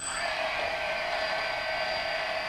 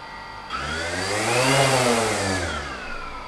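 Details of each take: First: DJI Phantom brushless motor running before its bearings were oiled: a steady high whine with a gritty, hissy grinding rasp. Dry or rough bearing suspected, not confirmed. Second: DJI Phantom after bearing oiling with high-speed brushless motor oil, propellers on, weighted down with scuba weights: motors spool up to a steady whine that eases back smoothly with no grinding. Smooth running.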